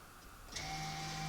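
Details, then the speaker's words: VW Passat B7, jacked up after rear caliper work: the electric parking brake is wound back out by leaving service mode in the Carly app. A click, then a steady, even caliper motor whir with a faint whine and no strain. Normal operation, reported successful. "So now, instead of entering service mode, we're going to leave service mode."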